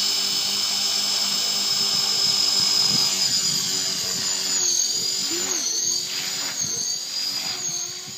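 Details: HK450 Pro RC helicopter with new Align 430L brushless motor at 72% throttle: steady high-pitched whine with quick, even blade swish that holds smooth then eases off; normal motor run-up.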